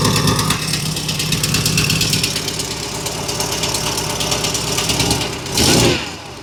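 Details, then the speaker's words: Ferrari 308 after tightening loose exhaust manifold nuts: steady idle with fast, sharp ticking that keeps pace with engine speed; still popping slightly, exhaust manifold leak not fully resolved. "Either way, I've tightened up all those nuts on that manifold, but I don't think that was quite enough. It's still popping slightly."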